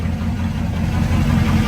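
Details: Carbureted Camaro V8 with electric fuel pump, owner asks whether it's cammed: deep, even burble at a low, steady idle around 700 rpm with no misses or knocks; it had some trouble starting but idles normally and healthy.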